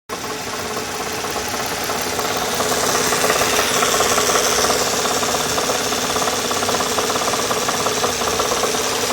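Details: 2002 Nissan Maxima at idle with code P0420: fast tinny knocking rattle, pinned to the bank 1 pre-cat nearest the firewall; broken honeycomb mesh inside, replacing the pre-cat cured it.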